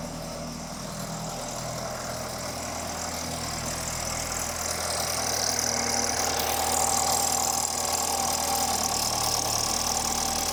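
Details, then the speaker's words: BMW N20 petrol engine (F30 328i/F10 528i) after Valvetronic eccentric shaft actuator replacement, started with a throttle blip: smooth, even idle hum rising briefly with revs; runs normally, no fuel leaks. "so great news it started and it runs and there's no fuel leaks"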